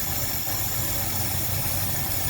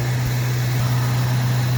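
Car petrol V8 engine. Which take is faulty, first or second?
first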